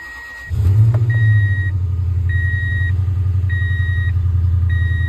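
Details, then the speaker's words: 2004 Toyota Tundra 4.7 V8 with flashing check engine light and P0301, cranks and settles into a lumpy shaking idle with chime beeping; cylinder 1 misfire, later fixed by replacing spark plug and coil. "so see the engine's flashing after he warm up it will go the that thing that uh it go about halfway down and then the shaking misfire"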